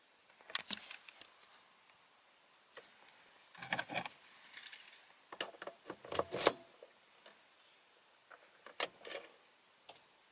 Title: Skoda Octavia mk3.5 1.6 CR TDI SCR - weird noise before cold start